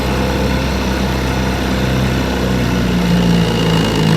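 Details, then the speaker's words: Restored 1958 5.5 hp Evinrude two-stroke outboard, warm, pushing a 14-foot John boat about 7 mph: steady, even buzzing drone under way, no misses or knocks; running smoothly. "As you can tell, she's a beauty. 7 miles an hour is not too bad for a 5.5."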